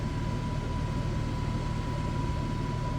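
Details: Suburban SF-30F furnace in a 2007 Keystone Sprinter RV, reinstalled after replacing the bad control board: a steady, even blower rush with a faint constant hum on top, no scraping or rattle; the blower runs normally.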